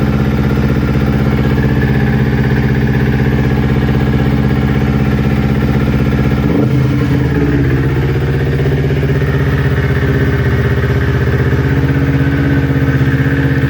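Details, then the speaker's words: Newly built Kawasaki Ninja twin that bogged and stalled when warm, after ignition coil pack replacement: even idle with one quick blip, no misfire, consistent past the usual warm-up problem temperature; both exhaust manifolds about 258 °C. "right guys, like you can see, the idle is consistent now. The temperature has gone way past its normal problem area."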